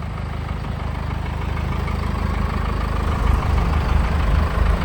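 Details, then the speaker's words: 1984 Chevy K5 Blazer CUCV with Cummins 4BT diesel, just after compound turbo kit and full exhaust install: deep, even clatter at steady idle, no misses or knocks; smooth and much quieter than before. "Definitely quieted things down with the full exhaust hooked up and both turbos on. Oh yeah, way quieter. Like way quieter."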